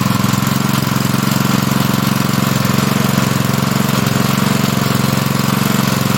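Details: Honda GP160 likely two-inch water pump engine, stored unused probably over a year and wouldn't start, after carburetor work with the fuel line and spring refitted: steady, even single-cylinder beat at constant speed, no misses or surging; running properly.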